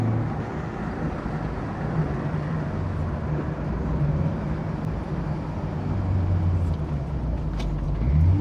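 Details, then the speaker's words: Autobianchi A112 Abarth with rebuilt engine on test drive shakedown, accelerating: strong low engine note pulling evenly under load, no knocks or rattles; healthy engine under acceleration. "this car is quick but compared to modern cars of course it's not very quick but the way it delivers the power and the way it handles makes it feel incredibly quick"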